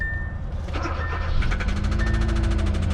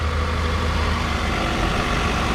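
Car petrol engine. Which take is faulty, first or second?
first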